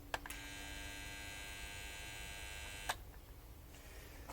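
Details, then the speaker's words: 1965 Bell & Howell 652 16mm film projector, found in the trash, at first power-up set to forward: steady electrical hum with a buzzy edge between two clicks and no mechanism turning; motor stalls, seemingly short of power, owner suspects the old capacitor. "We have a lot of rumbling and no action."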